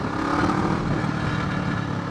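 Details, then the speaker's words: Kawasaki ER6f Ninja 650R parallel twin with aftermarket exhaust cracked, silencer broken off; loud, deep, raw unmuffled exhaust drone; broken exhaust silencer. "It's loud, man. So, and that's with the silencer taken off or broken off."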